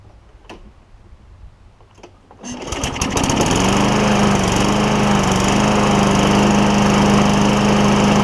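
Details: Craftsman mower with Tecumseh Vector engine after carburetor and backing plate replacement, run without air filter; primer pushes, fires at once and settles into a steady, even drone with no misses or surging.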